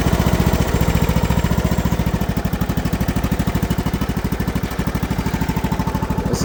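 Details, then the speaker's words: Briggs & Stratton lawn mower cold-started after sitting over a year in a hayfield, on stale gas, burns oil: steady, even single-cylinder chuffing with no misses or knocks; runs smoothly. "to this thing purr. Been sitting out in the hayfield for over a year. Burns all kinds of oil."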